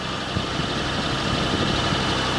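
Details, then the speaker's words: 1986 Ford LTD Crown Victoria wagon, all-original 5.0 EFI, hard to start; warm idle with faint irregular tick that comes and goes, apart from the power steering whine, heard under the hood. Suspected valve train. Engine tick at idle. "It sounds like it's coming from right here. Maybe it's something in the valve train."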